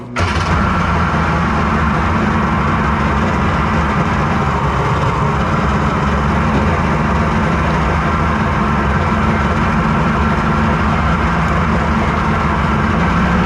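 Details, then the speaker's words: Kawasaki 1100 triple two-stroke jet-ski engine in mini jet boat, rebuilt for more compression, coil swapped, on-water test: loud drone with ragged edge and irregular pops, popping back; cause unconfirmed, compression check planned. "I don't love how it's running I hear it popping back there I am really tired of working on the 1100 so this may be the end of the 11-hundred saga in this stupid boat"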